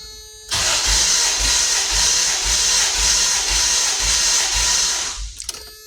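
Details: 1994 Toyota T100 compression test with all plugs out and the EFI relay removed, on cylinder 5: even starter cranking, steady low pulses about two per second under a hissy whir. Reads 152 psi, over 150, so compression is good.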